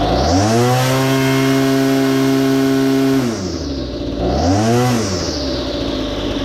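Chainsaw revs up cleanly and holds a steady high note under the cut, drops and picks up again without bogging; running well.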